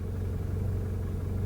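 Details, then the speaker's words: MK7 GTI with South Bend Stage 2 Endurance clutch and single-mass flywheel, APR Stage 2: smooth, steady low idle rumble with no rattle while the clutch pedal is held in; the rattle appears with the clutch out, normal for this setup. "if you do hear this noise there's nothing wrong when it sees you put the clutch in"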